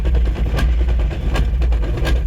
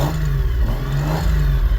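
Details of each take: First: Drift car making a new noise along with low power. Engine rumbles low with irregular sharp knocks about every second; judged transmission related, with clutch, flywheel or internal gearbox not yet determined. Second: CD009-transmission drift car after fixing a suspected clutch/flywheel/transmission clatter: deep throaty engine revving through a couple of blips, no clatter or banging; earlier noise gone, normal CD009 noises remain.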